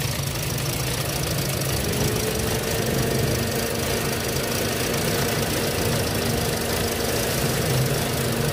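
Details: 2017 Toyota Vios automatic: engine idles with a slightly uneven, lumpy beat and faint wavering hum; unstable rough idle, misfire mentioned, cause not confirmed.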